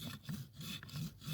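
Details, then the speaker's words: Window regulator, guide glued back and cleaned of grease, cam removed: rough dry scraping rub about twice a second as the regulator moves; dry cable guide needs a line of grease. "yeah we don't want that sound so we're going to put a line of grease on this side"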